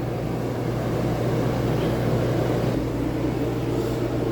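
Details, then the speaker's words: RV rooftop A/C heard inside after fix: steady even hum and smooth airy rush, no rumbling or knocking; earlier rumbling vibration caused by two fan bolts off their rubber grommets, now reinstalled. Normal running. "let's check the inside the RV AC [Music] on sounds beautiful"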